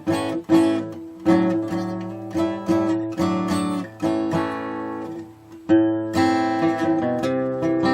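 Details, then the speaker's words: Acoustic guitar with very old, worn-out strings, just after a nut action fix: strummed chords give a faint sitar-like metallic buzz, mostly on the unwound strings and a little on the third. String buzz. "It's mostly on the unwound strings. I hear it a little bit there on the third."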